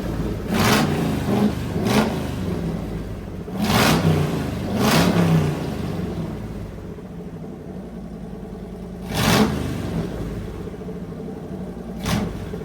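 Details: Fully rebuilt Magnum 318 V8 with 360 cam and roller lifters, after fixing a carburetor vacuum leak and setting timing, running heat cycles: smooth, even idle with several quick clean throttle blips, no misses or knocks.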